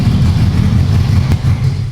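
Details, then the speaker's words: Rebuilt ex-rental Ferrari F430 engine, no exhaust, running to warm up after coolant top-up: loud open-pipe idle with uneven stumbling beat; misfire, a couple of cylinders not firing. "Yeah, there's a couple cylinders which ain't firing there. So now the Ferrari started to misfire."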